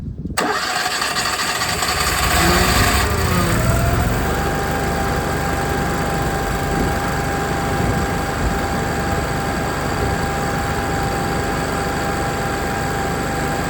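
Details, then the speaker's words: Onan 7kW generator after an oil and filter change, primed first: brief cranking whir, then it catches cleanly and settles into a steady, even idle with no misses or knocks; healthy start. "Sounds like we fired up no problem."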